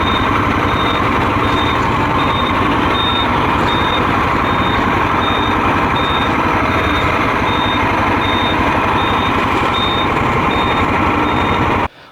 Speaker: I deliberately left my indicator on, and you can hear the beeper even with wind and engine noise.